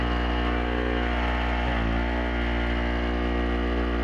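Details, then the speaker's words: Chicago Electric (Harbor Freight) 800 generator load test with space heater on first notch: steady engine drone dips briefly as load comes on, then settles; 115 volts at 560 watts, frequency still good, holds load normally. "Volts, 115, 560 watts, still pretty good frequency there. And we'll run this up to the next notch here."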